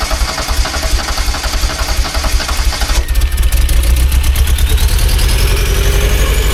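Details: Rare Porsche 924 Turbo started after sitting 24 years, fuel pump jerry-rigged as it should only run for starting: engine fires and revs keep climbing on their own with a rising whistle, not returning to idle.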